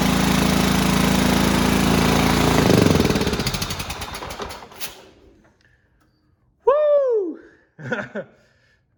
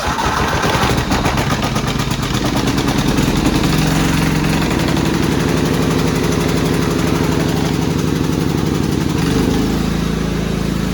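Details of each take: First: Cub Cadet riding mower, 16 hp horizontal-shaft Kohler, given starting fluid on choke: engine chugs hard a few seconds, then slows and dies as the fluid burns off. Fuel pump works, so a fuel-starved, dirty carburetor is likely. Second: Cub Cadet rider's 16 hp horizontal-shaft Kohler, warming up on very dirty old oil before an oil change: steady, even single-cylinder putter at constant speed with no misses or knocks. Healthy idle, runs great now.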